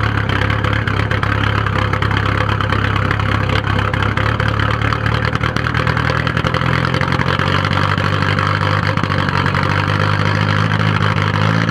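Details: 1997 VW 1.9 TDI (1Z) diesel idling with an uneven, lumpy, misfire-like rough idle and white smoke; it ran smooth, then suddenly started doing this a few days ago, cause unknown.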